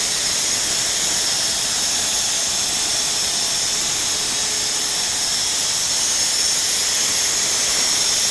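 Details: Renner RS TOP 7.5 kW screw compressor, about 1 m³/min, built 2013, just under 5,000 hours, freshly serviced with new separator and filters: steady loud airy hiss with an even high whir, no knocks, rattles or pitch swings; running smoothly.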